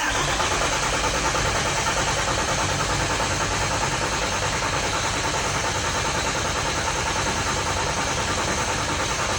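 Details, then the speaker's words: Freshly rebuilt engine cranked on the starter with injectors disconnected to build oil pressure: steady churn about three turns a second, no knocks; engine spins over cleanly, needing lots of starter power. "I'm gonna get a jump box on this thing just so the batteries don't get weak. It takes a lot of engine, like starter power, to turn this over."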